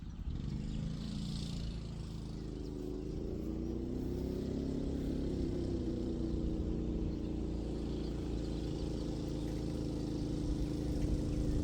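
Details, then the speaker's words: Coleman KT196 go-kart after engine rebuild, test run noticeably slower (47 seconds): small engine drones at steady revs while the kart pulls weakly; centrifugal clutch slipping, not grabbing because the shaft is too short for the clutch. "So, I know I know what the problem is. It's a the clutch. So, the shaft is too short for the clutch, so it's not grabbing it."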